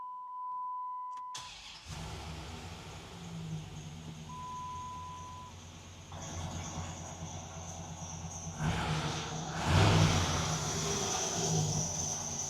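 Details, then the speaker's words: Dodge Ram SRT10 (Viper V10) pickup, sat for months not starting, push-button start after ASD wiring fix: brief crank, V10 catches and settles to steady deep idle with some belt squeak; starts healthy. "Alrighty, let's see if we can get the SRT10 truck fired up."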